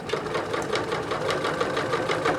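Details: Singer 9970 computerized sewing machine (circa mid-2000s) sewing folded stack of layers that barely fits under the presser foot: quick, even stitch rhythm about four or five beats a second, no labouring; healthy machine.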